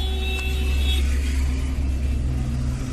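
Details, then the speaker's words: Maruti Suzuki Swift petrol/CNG at idle: lumpy, wavering idle, RPM hunting up and down, vibration and pickup problem; one cylinder misfiring, ignition coil found faulty and replaced. "गाड़ी RPM plus minus होता है, आइडलिंग में परफेक्ट चलती नहीं है और vibration hunting है।"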